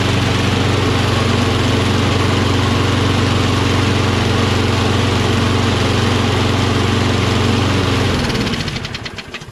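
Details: Curbside Toro Recycler XT675 Kohler mower, contact cleaner sprayed in as starting fluid: fires and runs evenly for about eight seconds, then falters and dies; spark present, runs on the spray only, no fuel.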